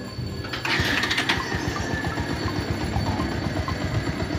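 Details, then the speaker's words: 2014 Kawasaki Rouser 180 motorcycle before tune-up and carburetor cleaning: it starts but bogs as if choking when the throttle is opened. Uneven, stumbling low putter. Rough idle. "Nag-start naman. Ang problema pag piniga mo yung silinyador niya para siyang nabubulunan."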